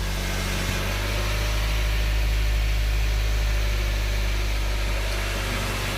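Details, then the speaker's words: Honda CR-V idling right after first start following an engine reseal, timing check and valve lash adjustment: deep, even idle with a steady beat. The previous tapping is gone and the valvetrain sounds quiet and healthy. "listen how quiet it is it's not tapping no more"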